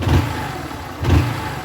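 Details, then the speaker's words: Honda Start 160 motorcycle after the repair: two quick throttle blips rising and falling cleanly, with no ticking or rattle at the top end; the cam chain now sounds quiet and healthy. "sem batimento sem batição sem nada entendeu"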